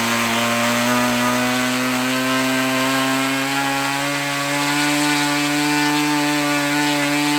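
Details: OS LA40 nitro glow engine on a Balsa Max Thrust trainer, eBay purchase stored months, fired first turn, needle leaned after running rich: steady high-pitched buzz, even and clean with no sag or misfire; normal high-rpm run.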